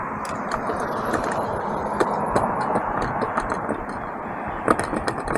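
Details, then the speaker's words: Talaria Sting electric bike ridden on the road: irregular light clattering ticks over the tyre and drive hum from a front fender flapping, probably after losing a screw; the fender screw needs retightening. "that's what I'm hearing it's Defender all right we gotta retighten that screw"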